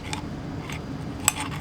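Quiet room with a few light, sharp ticks as the impeller is turned by hand and snaps back; normal magnetic cogging of a good pump.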